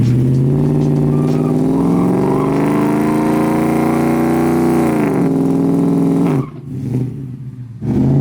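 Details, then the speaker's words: Drag car with stage 1 clutch at wide-open throttle on a run at Famoso; engine howls with rising pitch then drops off early, shift seeming to come before redline; crew suspects short shifting, thinks more jet will fix it; unconfirmed. "Yeah, that was weird. It was like shifting early. Sounds like it's short shifting."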